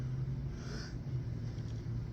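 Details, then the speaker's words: Toyota Camry (around 2000) radiator cooling fan running: low steady hum and rumble with a loose uneven wobble, the fan visibly dancing though its bolt is tight; cooling fan wobble noise. "Pues cuando prende esto el abanico se escucha un ruido y anda como bailando"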